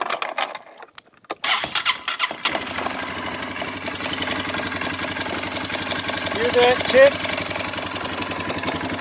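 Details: 2019 Polaris Sportsman 450 ATV, new with 30 hours, starts and idles with a fast tinny metallic rattle: the engine valve cover vibrating against the frame, wearing away 1/8 inch of metal; valves also need adjustment.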